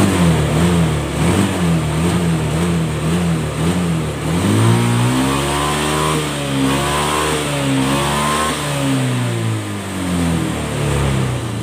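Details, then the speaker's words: Honda Scoopy FI injection scooter after full service and CVT upgrade, previously sluggish with late throttle: revs climb cleanly from idle and fall back smoothly with each twist, no hesitation or bog; throttle response normal, repair finished. "Oke, respon guys ya. Motor ini sudah selesai."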